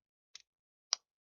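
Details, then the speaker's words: Handheld console (likely a Nintendo Switch), powered on after reassembly: two sharp, dry pops half a second apart against silence at power-up. Speaker crackle; a corroded speaker is suspected, and sound later cut out entirely. "It was like a crackling noise when it turned on from the speakers."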